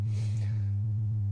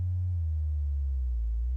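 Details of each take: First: Modular synth sine oscillator shows distortion only when all modules on the flying bus boards are powered; a low steady tone carries a fast regular warble of about seven pulses a second, and unplugging modules in sequence changes it. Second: Modular synth: with the envelope, filter and triple delay unplugged the sine output sounds clean, a pure tone gliding down, holding high, then falling, with no buzz or hiss.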